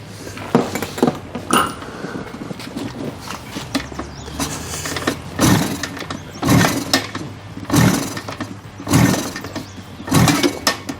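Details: 1974 Kawasaki H2 750 two-stroke triple, silent 34 years: repeated kick strokes about a second apart, each a brief churn with no firing; a no-start.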